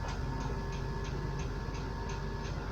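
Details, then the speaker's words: 1993 LSE air suspension lowering: sharp even clicks about three per second over a steady pump hum, a world of relay clicking as it drops; cause not yet understood, possible air leak suspected. "and when it drops down there is a world of clicking the relays"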